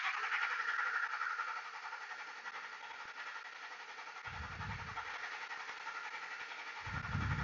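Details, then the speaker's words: 2003 Ford F150 Harley-Davidson 5.4: the starter churns steadily for about 10–15 seconds and the engine never catches; a long crank with no start, traced to a faulty PCM. "as you can hear it's like I don't know maybe 1015 seconds no start yeah I don't want to better burned a starter"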